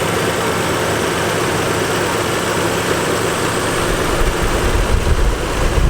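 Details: 1987 Nissan 300ZX 3.0 V6 idling, heard under the hood; even, steady low rumble with no ticks, misses or knocks, running healthy.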